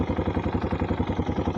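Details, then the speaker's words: Italika DM 250 motorcycle: fast even clattering pulses about eight a second over the idling single; cause unknown. "esta es la que más me ha decepcionado por ese sonido nunca le había puesto atención sinceramente no sé si suena de fábrica o así sea"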